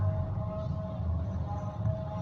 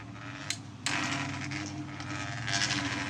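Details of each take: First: Pedestal fan after repair: worn bearing seat was welded, filed down and the bearing refitted (previously ran slow with a humming/droning noise); now a low, steady hum with a faint even tone, no rattle or scraping, running smooth and quiet. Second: Pedestal (stand) fan running very slowly with a low droning "goon goon" hum and uneven scraping bursts; worn fan shaft and loose bearing.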